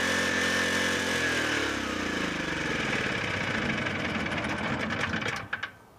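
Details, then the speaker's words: Free broken generator with a low-hour 11 hp Generac single-cylinder engine, to become a fire pump: it screams flat out at a constant high pitch, then cuts off; throttle is stuck wide open because the idle control is stuck. "that sounds really fast sounds like that's stuck on full throttle because it has idle control that is stuck"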